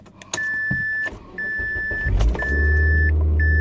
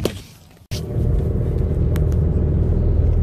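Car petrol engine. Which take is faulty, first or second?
second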